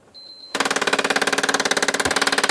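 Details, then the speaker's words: PS4 with no disc inside, worse after a Sony-advised system reset, makes rapid, evenly spaced mechanical clicking, about fourteen per second; disc drive mechanism cycling abnormally, so disc games won't play. "Like, it literally broke on its own. So like, what the fuck is it doing? Like, why is it making this noise?"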